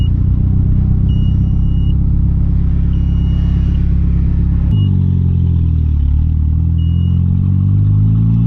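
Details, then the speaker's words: Conquest turbo (G54B), after swapping fuel pressure regulator: deep rumble suddenly sags, revs wavering and falling; stumbling and dying, owner suspects it runs so rich it chokes out, fuel pressure correct, cause unknown. "I don't know what else it could be it's just it gets so rich that it like I don't know chokes itself out the fuel pressures right"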